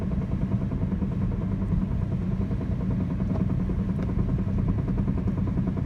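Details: 2004 Chrysler Sebring idling: uneven low knocking around three a second over a deep rumble, no clear rhythm; front-end knock heard just before the engine is put under load, gone completely under load.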